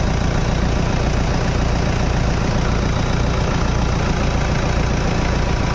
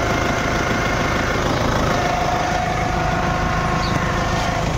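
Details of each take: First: Toyota Innova after a power steering service and pump fix (water had been found in the steering), engine idling while the steering is turned: steady low hum with no whine or groan. Power steering noise gone, normal idle. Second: Toyota Innova at idle, heard while the steering wheel is turned. A faint steady whine rides over an even idle, with no oil leak or low level and no hard steering; a worn power steering pump, to be replaced.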